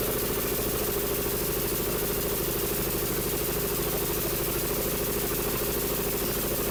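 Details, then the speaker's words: Troy-Bilt Pony 42X riding mower with 547cc engine: uneven labouring chug that won't rev, throttle not working, acting like it's choking out; bent carburetor throttle linkage. "it's acting like it's choking out so let's see we can't figure this thing out so hope you enjoy the video"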